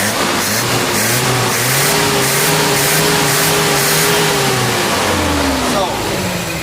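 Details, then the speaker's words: Van with standard original Hitachi carburetor, after distributor replacement: revs rise and fall smoothly with no stumble or misfire, giving the crisp sound the mechanic wanted; healthy carbureted engine. "Sekarang kita nak dengar bunyi koyak. Dapat dapat. Itu yang aku nak bunyi tu dia tak sebu koyak tu."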